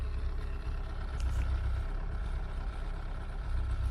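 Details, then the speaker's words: Mk3 Cortina GXL at idle: a faint light rattle over a steady low idle is the brake servo one-way valve chattering as engine vacuum varies. It goes away when revved and is typical of Cortinas with a servo. "that noise is unique to all cortinas with the servo on it's the servo one-way valve rattling"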